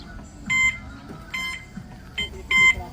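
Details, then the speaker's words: Newly delivered D2 electric bike (HJ Moto) in reverse: four sharp high-pitched beeps in about three seconds; normal reverse warning beeper alerting people behind. "Pang atras talaga yan, eh. Ganun talaga ang tunog para malalaman yun sa likod."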